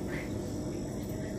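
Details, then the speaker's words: Freezer box that wasn't cooling because the compressor struggled to start; after the PTC overload starter relay was replaced, the compressor starts and runs with a steady low hum and faint even buzz, no clicking or cutting out. "apa yang terjadi udah terdengar kompresor sudah jalan coba sini kamera oke Brazil kompresor berjalan"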